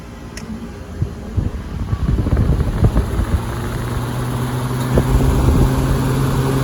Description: how an older kkt chiller should sound like when running the right way